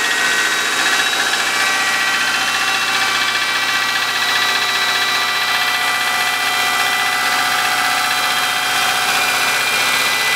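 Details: 2003 Subaru Forester, naturally aspirated boxer, manual, 140,000 km, cold idle in a -10 °C garage: dry, uneven rapping within a bright mechanical clatter; suspected piston slap, unconfirmed.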